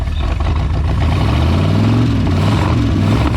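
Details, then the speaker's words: 1973 Mercury Comet GT, 302 V8 with 3-speed, first start in 35 years: a loud, deep V8 rumble at a steady, slightly uneven idle, the engine now running on its own without help. "listen let it run daddy first start in 35 years she's running all by our lonesome"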